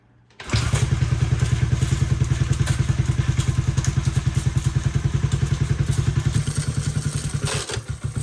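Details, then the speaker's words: Unrestored 1972 Honda CB450 being started with the starter button plus kickstart, in neutral: heavy even thumping at about three and a half a second; doesn't sound right, and a chain seems to be catching inside, cause unconfirmed. "doesn't sound right that chain is lining up in there so let's get this thing apart and do what we do"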